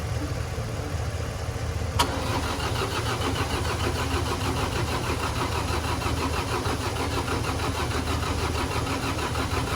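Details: Diesel tractor, left in pasture and not running, jump-started; after starting, idle stumbled with uneven chugging; injectors loosened to bleed out air, then retightened, and idle smoothed. Air in injector lines.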